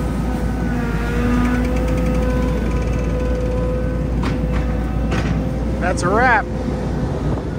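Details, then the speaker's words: Belt-driven vibrator on a gravel truck's dump box shaking the gravel down over the truck's idle: steady, even mid-pitched hum, no wavering or knocking; box vibrator running normally. "There's a vibrator on this that vibrates the box. There you go. You can hear that. And that makes the gravel fall down in."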